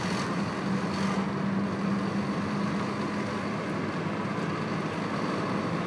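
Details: 1996 VW Golf Mk3 1.4 pulling at about 1500 rpm in every gear: coarse tractor-like rattling/grinding drone under the engine note; two garages found no cause.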